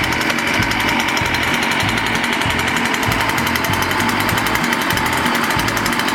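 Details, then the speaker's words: Echo PB-500T backpack blower after rebuild, before carburetor tuning: two-stroke buzz surges and stumbles in uneven bursts, never settling to a steady run; needs carburetor adjustment (low-speed screw nearest engine); carburetor fault. "Sounds like it needs a carburetor adjustment."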